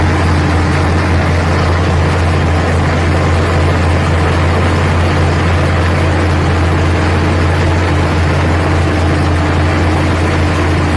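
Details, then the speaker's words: Carbureted engine tuned for winter, choke kicked off with a throttle blip: steady even low rumble at curb idle set about 700 rpm, no misses or hunting; normal idle. "one little kick of the throttle and now she's down to Cur idle which I believe I set it at about 700 RPM somewhere right around there"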